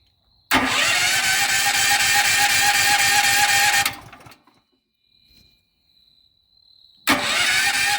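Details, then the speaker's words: New FIRMAN H07553 9400 W dual-fuel generator, first start on gasoline after oil fill using electric push-button start; short crank, catches at once, even drone, shuts off and restarts cleanly. Normal start and run. "So we're going to turn it to gas. The red light comes on, and then we have an electric start here."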